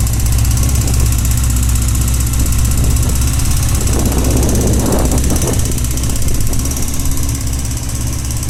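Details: Honda CBX 550 F at idle: deep rumble with irregular mechanical tapping around four per second, coming mainly from the right side of the engine (seated on saddle); abnormal internal noise, source not pinned down.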